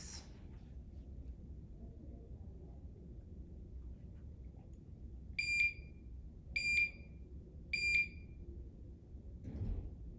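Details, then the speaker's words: Home infusion pump for TPN through a PICC line, switched on after the tubing is loaded and before priming. Three short high-pitched beeps about a second apart in a quiet room; the normal power-on self-test. "So let's turn it on. And what you're going to find is it goes through its system"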